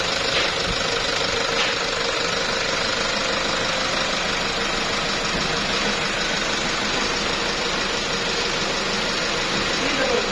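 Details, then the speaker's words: Toyota Revo 1KD diesel (2019/2020 model) that died at 120 km/h, wouldn't restart and blew black smoke. After repair, with a seized part fixed and a Japanese engine fitted, injector readings are OK. Even idle clatter about three beats a second, no knocks: healthy. "माशाल्लाह engine okay हो गया है। आप चेक कर सकते हैं इंजन की कैसी साउंड है, बिल्कुल साउंड प्रूफ है।"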